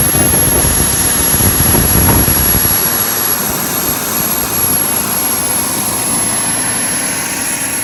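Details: JetCentral model turboprop turbine on a test stand during start-up testing, temporarily fitted with a wrong-size test propeller: steady, even turbine roar with a high whistle, no surging or rough patches; normal, healthy running.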